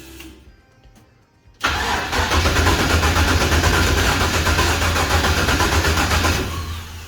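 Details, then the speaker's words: Toyota Toyoace truck with 6 litre V8, first start in truck with exhaust, no cooling: engine catches abruptly, runs roughly about five seconds and dies; suspected fuel starvation as high return line drains tank, low pump pressure. "I wonder if I've got no fuel. Alright, so I need more fuel, mainly because this is a return system and the return line comes up so high. I think it's draining the tank and then having no pressure from the back of the pump."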